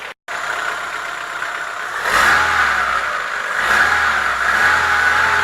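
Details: Chevrolet Lacetti 1.6 engine revving and settling: dull, fairly regular knock under the note, worst on the rev; piston knock, cured by boring the block and replacing the piston group.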